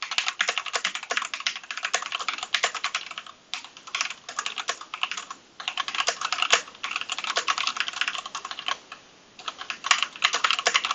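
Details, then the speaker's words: Heavily used Keychron V2 (v1) keyboard, wired, typed on: fast, uneven clacky keystrokes with a loose, rattly edge and brief pauses; owner suspects worn-out springs in the switches, which are replaceable. "but uh I'll show you what this old rickety keyboard sounds like um it's uh it's kind of kind of worn out Springs in there or something but I mean they're all replaceable so whatever"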